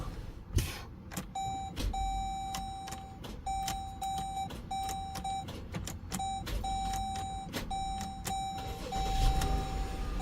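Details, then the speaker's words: Dodge Durango with a new battery not holding charge: intermittent start, with repeated irregular chimes over a low engine rumble and gauges sweeping from low voltage; battery suspected, though a bad connection could also cause it. "Every fifth, you see how those gauges going? That's from low voltage, guys. So this battery is acting crazy intermittently."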